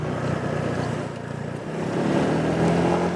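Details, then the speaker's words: Honda PCX150 riding: steady engine drone with a loose, chattery rattle from the right side, heard only while moving or at higher RPM, not at idle; source unknown, possibly rear plate. "It's rattly chattery. I have no idea what it is. It's definitely off the right side of the bike. I don't hear it on the left."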